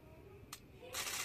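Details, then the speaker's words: Honda fuel pump (Vario/Beat type) tested on the bench, powered directly from a battery: a click, then a loud, harsh, high-pitched buzz, louder than a healthy pump's smooth whine, so this worn pump is no longer normal. "Tuh, ini juga keras tuh. Berarti ini rotaknya sudah enggak normal seperti yang halus-halus itu, dulur."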